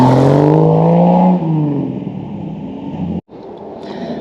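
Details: Jeep YJ rock crawler buggy, 4.0L straight six, new custom stainless side-exit exhaust wrapped in DEI exhaust wrap: deep even drone climbs with each rev, settles back smoothly, no ticks or rattles; normal exhaust note.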